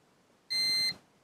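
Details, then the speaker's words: Manta SPK15GO Bluetooth speaker mainboard, multimeter continuity test on the lower capacitor: a single steady high beep under half a second, continuity indicating a short across that capacitor. "Hej Hania to jest zwarcie staram się teraz tą płytkę jak najmniej ruszać"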